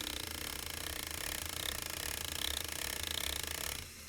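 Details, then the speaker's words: RC crawler driveshaft with rear input not parallel to output: fast gear whir with steady rhythmic thumping throb; non-uniform rotation from misaligned u-joint angles pulsing the drive. "let's say your rear drive shaft is not parallel the input is not parallel to the output you're going to get some of that non-uniform pulsing at your"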